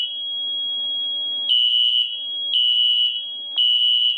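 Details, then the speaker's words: SFP1024 fire alarm panel during system test five: a piercing steady tone near 3 kHz holds 1.5 s, then beeps in one-second pulses. The pattern is wrong on mains power but correct when power is lost; cause unknown. "Hold on, it's not supposed to sound like that. No, I turned the power back on to it and it's acting like that."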